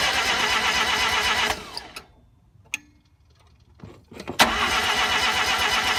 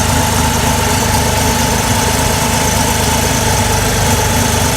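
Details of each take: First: RX-7 first start attempt after swapping a 12A rotary in for the 13B: even starter cranking, a pause, then more cranking, and it never catches. The ignition timing was way off; the owner first suspected no spark. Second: Mazda RX-7 rotary with a rewelded header, first start after battery charging and a fix to the no-start: steady, even high idle at about 1500 rpm with a constant buzzy hum and no misses or knocks; running healthy.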